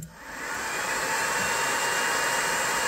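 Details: 20 W diode laser engraver module with top-mounted, continuously running fan, heard at switch-on before modification; steady loud hiss with a harsh high whine, noisy cooling fan.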